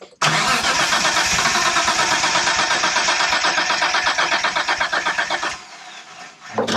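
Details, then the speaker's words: 1992 Dodge Stealth R/T twin turbo cranking with no fuel (fuel pump relay off), on a borrowed battery. The starter turns without firing, with a steady beat about four a second and a hard knocky edge that quiets after about 5 seconds. A stuck lifter is suspected, not confirmed. "That sounded knocking. That was weird."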